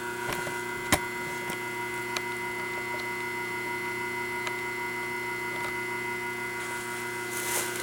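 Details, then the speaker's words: 1976 General Electric Q174461 washer motor, 1/2 hp, 1725 rpm, 115 V, once submerged in Katrina but used for years since, bearings warming up: steady, even hum with a clean high whine, no knocking or grinding; healthy. "This is actually a very good motor in the sense the laminations are real really uh well made and everything on it."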